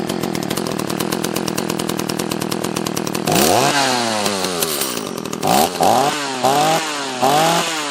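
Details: Echo CS-330T top-handle chainsaw, carburetor screws set half a turn out: a choppy idle, then throttle blips rise and fall away unevenly; lean stumbling from fuel starvation.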